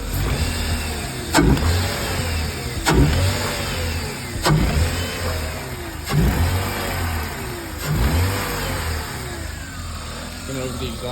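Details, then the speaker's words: BMW E36 with misfire under load: engine revved in bursts about every 1.5 seconds, sharp crackling pops from the exhaust as each rev drops; exhaust popping. "real quick. Hear it popping."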